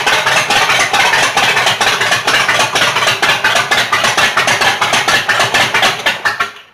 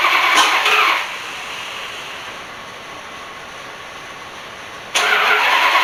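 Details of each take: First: Rat rod just after cam install, first runs: choppy loping idle at about two beats a second, typical big-cam thump, then dies out; owner thinks the stall was low battery from an incorrectly hooked-up alternator. Lopey cam idle. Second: Rat rod after cam install, oil pump primed, cranking: two short bursts of harsh cranking that never settle into a steady run; fails to start, plug wires confirmed correct, ignition timing not yet set right.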